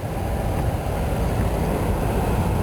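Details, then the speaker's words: 2004 GMC Envoy SLT automatic climate control, after replacing failed blower control module: steady rushing airflow and even low hum on high, no squeal; blower works again, though air only exits defrost vents. "okay now that everything's all back together go ahead and try it out and you can hear it it's blowing now"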